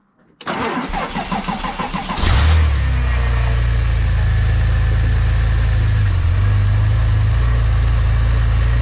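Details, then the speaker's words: Porsche 996 Turbo, 3.0L flat-six biturbo, on stands after a fix for an unstable idle linked to an air-leak noise: cranks briefly, flares, then settles into an even, steady low idle; running normally. "Donc, ce que je vais faire, je vais la démarrer pour voir si elle tourne normale."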